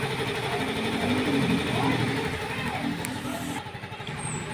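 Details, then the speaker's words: Yamaha Mio Gravis scooter idling after the broken cam chain tensioner spring was fixed. It had been making a loud ticking engine noise. Now a steady, even, quiet idle with no top-end ticking. "So yan pakinig naman napaka tining na"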